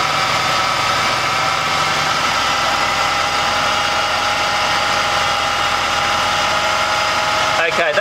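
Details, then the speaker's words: Subaru Brumby with new Weber carburettor conversion, idle set near 800 rpm, mixture screw turned by ear for the highest idle: steady, even, smooth hum with no hunting or misfire; normal idle. "Mixture screw, we simply turn it slowly in or out to achieve the highest idle. Listen to it by ear. That's picking up, so I'm going in the right direction."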